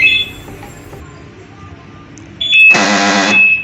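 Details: Volkswagen Voyage central locking door lock actuator motor, a universal aftermarket unit, sometimes fails to unlock; fires with a loud, harsh buzz lasting about half a second, cracked actuator housing.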